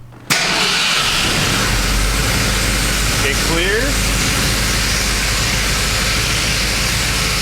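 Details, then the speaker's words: 1965 Ford F100 V8 first start after new exhaust gaskets runs rough and loud, with a brief nasty scraping squeal as the cooling fan strikes the fan shroud from a clearance issue. "we're still hitting the fan shroud just a little bit it sounded pretty nasty right there"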